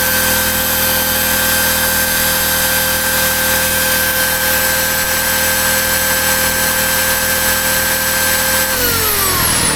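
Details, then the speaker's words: AiVolt 1600W (1260 running watts) gas inverter generator running a chainsaw. A steady high buzz strains, then drops in pitch, and the overload light flickers on and off, though it still runs the saw, near overload. "It's running it. The overlight load is light is coming on, but then it goes off."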